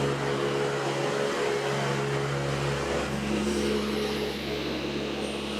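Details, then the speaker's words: Engine with newly fitted 1050cc injectors, oil pressure 6 bar, fuel 3.3, cranks and struggles then catches and settles into a steady even drone with no misses or knocks; running fine after hard start. "it's turning but struggling at the same [Music] time whoa it's running guys all right we're good oh good"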